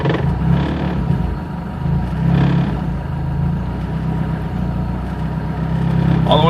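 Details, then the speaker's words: 2003 Hyundai Tiburon 2.0 Beta II, GT3076R turbo at 26 psi, Pauter rods, CP pistons at 9:1, meth injection, newly on MS3X engine management: the deep idle swells cleanly on quick throttle blips and returns smoothly. "for the sake of this just give some blips of the throttle you can see barely see the numbers"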